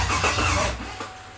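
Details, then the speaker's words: Freshly rebuilt Chevy 5.3 LT truck engine on first start: the starter churns steadily for under a second with no catch, then dies away. It needs to prime fuel and build pressure at the mechanical fuel pump first. "Turn it on, you gotta let it prime back up. This cycle to kill. That and the mechanical fuel pumps gotta build up here too. So you might have to let it turn for a few minutes, a few seconds."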